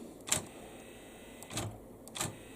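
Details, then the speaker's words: Memorex CD 5400 CD player under repair for a sticking tray, soft plastic clicks and a brief whirr as the tray releases and slides out on eject; tray eject working, though sticking later recurs. "i think this is the eject button there it goes"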